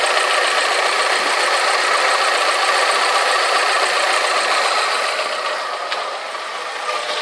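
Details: Alfa Romeo 156 2.0 Twin Spark idle after new exhaust manifold, metal gasket, refitted manifold bracket and downpipe-to-catalytic converter bolts: quieter, but light regular pinking tick of three to four per second remains.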